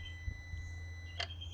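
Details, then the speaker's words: Holden VE Commodore just switched off after an oil-flush run: with the engine off, a thin steady electric buzz with a faint hum underneath runs, then cuts out as the electronic throttle actuator resets the butterfly for start-up; normal. "so what that buzzing sound is uh everything's electronic these days so you ever turn your car on and you've turned it off and you've heard a bit of weird noises or uh look electric motors or something going on that's exactly what it is it's a little actuators and they're all electronically driven nowadays"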